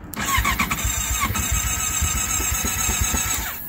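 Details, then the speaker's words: Honda CBR650F at its first start of 2023, about 5–6°C, battery kept on a maintainer over winter: the starter cranks in steady pulses about three seconds without firing; owner unsure whether the battery or the cold is to blame, plans a jump start. "oh my God it doesn't sound good I don't know if the battery is bad or the bike is too cold let's see let's do it once again no it did not start"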